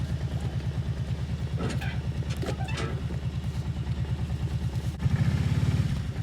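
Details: Outboard on an abandoned jon boat, sat over winter and unknown if it ran, first start attempt in water: low, even two-stroke putter picking up briefly with throttle and settling back; runs clean, better than expected.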